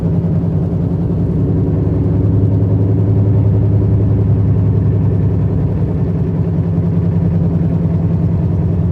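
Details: 2006 Chevy HHR front end, while driving: steady low humming drone with a rough grinding edge, louder and faster with increasing speed and seemingly worse when turning either direction; cause undiagnosed.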